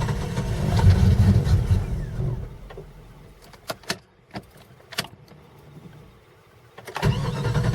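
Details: Cold hard start: slow, even cranking at about three turns a second that dies and resumes without catching before it finally starts. The engine starts and runs fine when warm. The owner is replacing the temp sensor and a throttle-body sensor, then possibly the ECM; cause unconfirmed.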